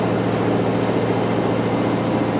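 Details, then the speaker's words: New washer replacing a failed Whirlpool, normal cycle with hot water, final spin: loud, steady whirring hum building to full speed with no thumping or banging and little vibration; normal high-speed spin. "All right. Now it's starting to pick up speed on the spin. And now it's really cranking."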